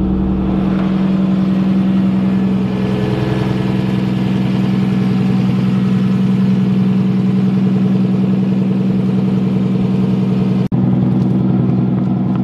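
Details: Nissan S13 engine at start-up, intake air temp reading 20°C: steady, even idle with a smooth low hum and regular firing, no ticks, knocks or leak hiss. Vacuum seems good, it is warm enough, and it is running healthy.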